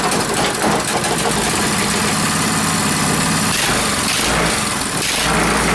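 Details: Reassembled Powerfist single-cylinder petrol engine idling on first start after reassembly, choke on, cold day; steady even putter with no knocks or misses.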